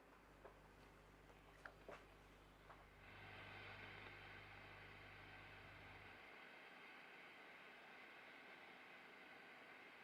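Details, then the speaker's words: Mesa F50 guitar tube amp on the bench, miked, gain turned up: idle hiss and low hum with sharp irregular pops and crackles in the signal before reverb; phase inverter 400 V caps found well out of spec, cause still being chased; crackling and popping. "so you should just be able to hear that crackling um so I'm going to have to chase down that issue"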